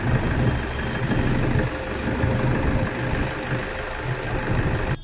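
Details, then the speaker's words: Toyota Innova that cranked but wouldn't start, after injector driver coupler was reconnected, heard outdoors: steady low even idle rumble, no misfire or stumble; normal idle. "Self పోటి బండి start అయితుందా కాదా ఎక్లీ బండ అయితే start అయిపోయింది."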